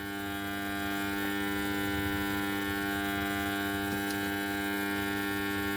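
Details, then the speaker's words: Amplifier with FT003 HDMI ARC board fed from a rectified converter supply: loud steady buzzy hum in the speaker as the supply can't deliver enough output; fixed by adding a 1000 µF 25 V capacitor. "முக்கியமான காரணம் என்னன்னா அந்த board டோட்டலா நம்ம இந்த power supply எடுக்கும்போது அதுக்கான volt வந்து அவுட்புட் அதனால கொடுக்க முடியாததுனால அந்த மாதிரி இருக்கு"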